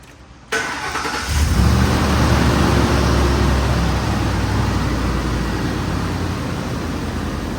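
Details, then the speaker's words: 2005 Ford Explorer 4.6L just after an EGR valve replacement (the customer reported it sticking and had heard a vacuum leak sound). Quick crank, catches at once and settles into a smooth, even idle with no hiss or stumble. Normal start, no vacuum leak heard. "He said he heard a vacuum leak sound, so I want to listen for that, make sure I don't hear nothing there. Sounds pretty good to me."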